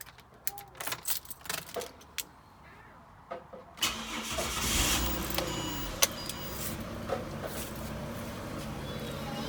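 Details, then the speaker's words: Barra Ford Territory/Falcon (non-turbo) after new spark plugs, which had run rough after a no-start: clicks, then it catches promptly into a steady, even idle with no misfire. "um you can hear it there running and everything so you put the cover back on once you're ready and done the road test and happy with everything"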